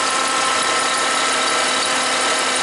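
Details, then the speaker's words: Toyota Highlander (2003 or 2007) idling with dead battery and alternator output dropping from 13 V to 11 V: constant whirring, whining tone from the front of the engine; alternator sounds bad, failing alternator. "not putting out before it was like 13 volts now it's down to 11 so let's put up pull up a a wiring diagram of this charging circuit and uh see what's going on but that alternator sounds pretty pretty bad"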